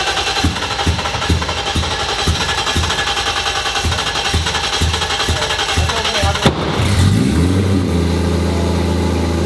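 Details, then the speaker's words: First start of AWD-converted Nissan S13 with RB26 3.0L billet block, Precision 88 turbo, R35 GT-R coils, push-button start: about six seconds of rhythmic cranking, then catches and settles into smooth, even idle, no knocks or misses. "Getting flash these S13s, all-wheel drive, push button start."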